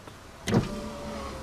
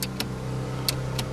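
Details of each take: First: Holden VX Commodore driver's power window after the intermittent switch was dismantled, cleaned and reassembled: a switch click and thunk, then the motor's steady, even whir as the glass travels smoothly; the window now works normally. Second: Holden VX Commodore power window switch that works intermittently: the window goes down fine but won't go back up. Sharp switch clicks are heard over a steady idle hum with no window motor running, pointing to a faulty power window switch.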